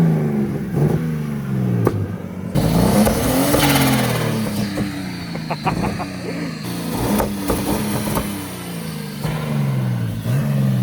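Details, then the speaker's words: BMW E36 323 with M52 engine, 300,000 km, after fitting a cheap eBay turbo kit, no blow-off valve fitted yet: revs blip up and down with sharp pops and crackles on each lift-off. Popping blamed on the missing blow-off valve. "it's popping because we don't have a blowoff on the car right now we're going to get one later"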